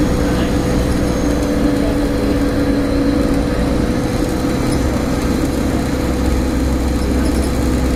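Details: Stagecoach Optare Solo bus 47020 (PO51 WLK), recorded in the cabin while driving Whitehaven to Workington: steady loud low drone with constant tone, a hum from the driveline, source not pinned down.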